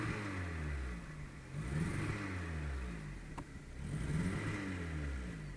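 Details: Skoda Fabia 1.4 MPI engine blipped twice with a rough, uneven note through the revs; misfire caused by a bad injector on cylinder three.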